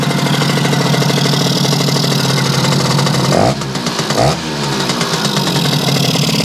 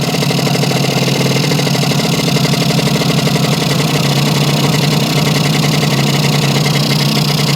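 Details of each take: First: Yamaha YL2C 100 Trailmaster two-stroke after reassembly and carb adjustment: fast, buzzy idle drops in two steps to a slower, steadier beat as the idle screw is backed off; idle was set too high. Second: Yamaha 100 Trailmaster (YL2C) two-stroke after an oil leak fix and reassembly, idle adjusted down: a steady, even low putter with no hunting; somewhat smoky. Normal idle.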